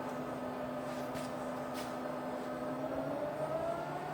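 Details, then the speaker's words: Rebuilt Bridgeport milling machine, spindle in low range at about 70 RPM (first called 700): smooth, quiet, even hum with steady low whine, no knocks or grinding; normal running. "Okay, so firing up, we're running around 700 RPM in low range. You hear how quiet that is, it's absolutely"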